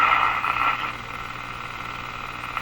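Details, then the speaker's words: Moffat Crosley Model G2465 five-tube radio before filter capacitor replacement: clear steady hum plus a rattly, hiss-like noise unchanged by tuning, possibly feedback/motorboating; weak power-supply filtering suspected, not confirmed. "so there's quite a clear hum in this radio so I think we know what the next capacitor is going to be that also that uh rattly sound I guess you could call it that's not changing"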